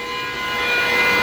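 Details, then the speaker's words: Glowforge laser cutter with all built-in fans running, inline filter off, heard near the intake fan: loud steady airy rush with constant whistling tones like a jet engine; normal fan operation. "You can also hear this one. Intake fan right here."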